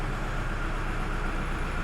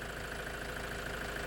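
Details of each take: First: 2006 Toyota Hilux 3.0 diesel, heavy engine noise and flooding; rough, uneven knock about three to four times a second at idle, not a misfire; injector knock, scanner codes P0093 and P1229 showing large fuel system leak, excessive rail pressure. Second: Toyota Hilux 3.0 diesel after repair of a loud engine knock and flooding, rail pressure now correct: even, steady diesel idle clatter with no knock or hunting; smooth normal idle.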